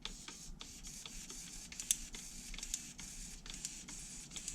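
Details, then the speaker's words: HPI Savage 3.5 nitro truck, brake/throttle servo powered via receiver: fast dry ticking and gritty buzz as the servo clicks inside and fights itself; worn, binding brake servo, throttle servo okay. "it's a little gritty break the throttle is okay The Brak is the brake is a little gritty you can hear it clicking on the inside it's really fighting with itself"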